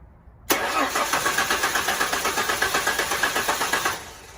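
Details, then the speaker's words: 1999-2004 New Edge Mustang 3.8L V6 compression test, cylinder 4, fuel pump and coil disabled: even cranking at about four pulses a second, no firing; 145 psi, normal range (150, 140, ~130 on others). "looks like we got 145 not bad so so far we gotten 150 on one 140 on two 130ish on three and 145 and four uh that's pretty much in the normal range"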